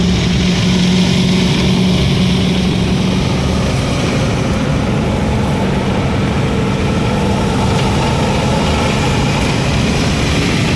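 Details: 6.0 diesel truck after Marvel Mystery Oil was added to the crankcase and fuel tank, with a steady deep diesel clatter and a slightly uneven beat underneath. The idle is still a touch lumpy; the owner suspects stiction in the number three cylinder.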